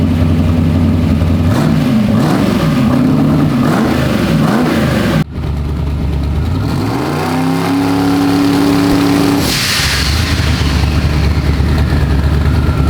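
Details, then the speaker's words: Freshly built turbocharged 421 small-block Chevy in an S-10, not yet fully warm, revved: deep rumble with turbos spooling fast, about 6 psi boost in under two seconds. Healthy, strong engine. "I have never heard it come up on boost that fast and that rowdy. Oh yeah. 6 pounds in like 2 seconds or less."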